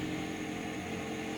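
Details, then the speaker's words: Chinese 40-watt CO2 laser cutter, air pump off: steady even hiss over constant low hum while the laser tube sits in pre-ignition mode, before reaching full current-carrying mode; inconsistent tube performance. "Ah, can you hear that hiss? Sounds as though the air is running, but it's not the air running."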